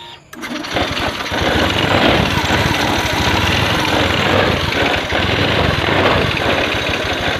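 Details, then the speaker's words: Honda Scoopy FI scooter after replacing a weak CKP sensor (earlier dirty fuel pump and injector cleaned, valves adjusted): starts immediately on restart and settles into a steady, even idle with no misses. "Dicoba dimatikan kembali lalu diarter kembali. langsung menyala ya."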